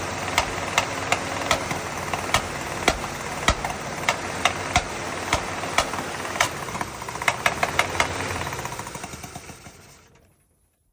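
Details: 1977 Dodge Ramcharger 360 V8 at idle: a loud, sharp knock about three times a second, then the engine shuts off. The owner doesn't know the cause.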